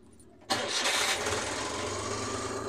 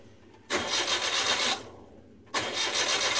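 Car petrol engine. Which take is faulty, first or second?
second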